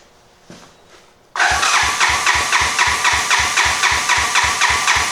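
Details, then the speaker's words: 1986 Honda Fourtrax 200SX quad after top-end rebuild and new eBay ignition coil: starter spins engine in an even chug about four beats a second, never fires; clamp-on spark tester confirms no spark, CDI pulse generator suspected. "Yeah, we're definitely not getting any spark. Like I said, this worked pretty good for testing this out, because my normal spark plug tester does not fit in this configuration."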